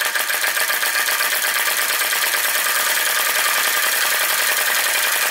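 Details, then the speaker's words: Retro VE-01 Crossbeam flame-licker (vacuum) engine, modified with an added drive pulley, runs with no load after driving accessories. Fast, even ticking with light mechanical clatter and a steady rhythm: normal free running. "it goes with no load what a nice looking and fun engine and capable of doing a little bit of work"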